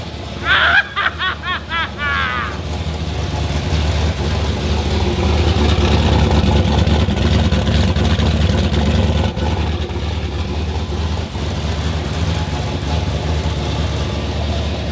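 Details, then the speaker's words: Project Red Dragon's rebuilt 370 cubic-inch LS turbo engine at its first start: starter churns briefly, then the engine catches and settles into a deep, steady, even rumble with no knocks or misfires. Clean, healthy start. "That is music to our ears. That's why we are so excited."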